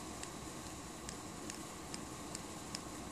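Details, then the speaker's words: Kershaw Emerson CQC-4K knife: pushing the frame lock makes sharp, unevenly spaced light clicks as it springs back toward unlock; the frame-side spring lacks tension, likely a quality-control issue. "You hear that clicking noise. Basically, I'm pushing the frame, and as soon as I release, it actually pushes back as if it were to unlock it."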